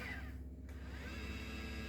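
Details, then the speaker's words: Celestron NexStar 4SE mount, whose altitude motor was loud before a full strip-down, now on a 12V 2A power supply: a soft, even low hum with a faint steady whir and no grinding. It runs smooth after the fix. "So, yeah, that actually worked well and it fits perfectly in there. and she runs nicely."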